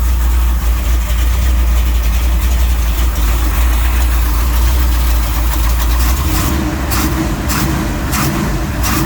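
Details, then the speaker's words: Auction-bought 1966 Chevy Nova wagon with a supposedly rebuilt 327 small-block V8, first start in a long time: deep, steady idle with an even lope, no misses or knocks; normal idle, sounds healthy. "sounds healthy [Music] sounds good"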